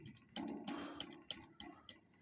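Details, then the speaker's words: Guitar amp spring reverb tank with a small single-spring pan, tested by tapping the tank with reverb at maximum, no guitar: each tap brings a short splashy spring crash that dies quickly, silent with reverb off; reverb works but is naturally quiet. "เสียงมาเลยอันนี้ปิดรีเวสก็แสดงว่ามันใช้ได้ปกติแต่ว่าเสียงมันอาจจะเบาหน่อยนะฮะตัวrvb"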